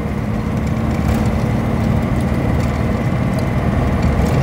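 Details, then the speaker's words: 1949 Armstrong Siddeley Lancaster 16 hp: rough, uneven, lumpy idle like one cylinder dropping out. It is misfiring and not firing properly. The owner plans new plugs and wonders whether a lead was knocked off; cause unconfirmed. "yeah she's missing at the moment why is that there what's that she's not she's not firing properly"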